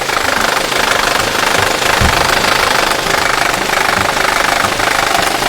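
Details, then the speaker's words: VW/Audi 1.8 TSI or 2.0 TSI third-generation engine: loud, fairly even diesel-like clatter, about two per second, from the timing drive; failed cam phaser control valves (part numbers 06L109257F/G). "сегодня мы вам расскажем про одну из самых популярных причин страшного звука так называемого дизель и не на двигателях 3 генерация"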